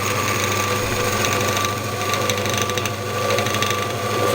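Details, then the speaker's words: Scheppach DMS 900 lathe after pulley and bearing replacement: much quieter motor hum with light whine, but a loose light rattle appears while changing speed as the variable pulley moves; source not yet found. "let's see what happens when I change okay that top bearing is closing up as I change the speed the pulley is coming up to the top"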